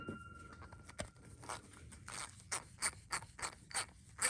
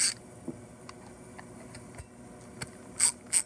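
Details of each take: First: Stanley ratchet (T9 Torx screws) after disassembly and lubing, previously run with little to no lube: soft light even clicking at a few clicks per second with no gritty scrape; much quieter, pawl running smoothly. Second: Fairly new Stanley ratchet before cleaning and lubing: sharp, dry, separate clicks a few times a second as the handle swings, a harsh pawl snap from very little to no lubricant.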